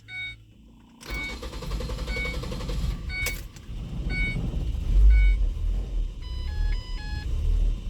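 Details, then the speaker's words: Engine with code P0400, no check engine light, complaint of an extended crank and lunging forward off the brake: dash chimes, about two seconds of cranking, then an uneven hunting idle that lopes like a big cam. Cause: EGR valve stuck open. "So an extended crank there. Let me cut it back off. It started loping like a camshaft was in there."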